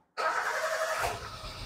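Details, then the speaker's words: Kembara VVT (K3 engine) after repair of black smoke and hesitation, MAP sensor connection related, exhaust cleaned: starts instantly and settles into light, even idle without misses; normal start and idle. "Jadi sekarang alhamdulillah kereta ini senang hidup ya. Kita start, kereta pun sedang hidup ya."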